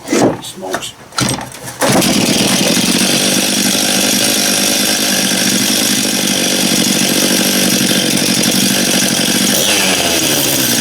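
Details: Stihl MS271 chainsaw after clutch drum replacement: after a brief fumbled start the saw screams at a steady high rev, holding even with no stumbling or clatter; bar oiling confirmed, running properly.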